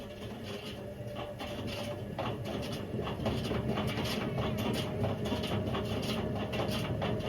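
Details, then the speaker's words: Indesit IWC71453 7 kg washing machine on a test spin aiming for 1400 rpm: drum builds speed with rough rumbling roar and rhythmic knocking; drum bearings completely gone, drum eating into the plastic tub, brown oily residue. "So the bearings have completely gone on this. To the point where the drum's just eating away at the plastic, and you know, you can't really do much of this."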